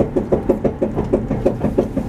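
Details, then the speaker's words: Car driving downhill: hollow regular knocks about six per second, low and locked to road speed, thought to be the tire; later found to be a loose wheel. "I don't know what that is. It sounds like my tire. Maybe."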